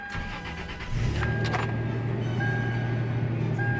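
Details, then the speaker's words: 2003 Toyota Tacoma after spark plug and wire replacement for a P0304 misfire code: catches after a short crank and settles into a smooth, even idle with no misses or ticking. Check engine light is off; runs normally. "check engine light is [Music] off sounds good idle's good I don't hear anything weird I think we're [Music] good"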